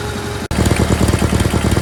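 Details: GT/18 after ignition rebuild, no choke, low idle: fires straight back up, settles into steady slightly lumpy low putter; charging system working, runs better, carburetor still needs tuning.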